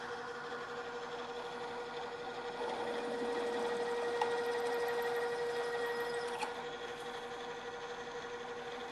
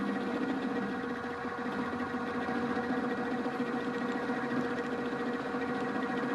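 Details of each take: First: Drill press stepping up to a half-inch drill in metal, rerun at lower speed after chatter from running too fast: steady, even cutting hum with one clean tone, no chatter; drilling smoothly at correct speed. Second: looks very much like what you'd see and hear the milling machine and it's sort of working but you can hear some rumbling some chatter we feed this across the part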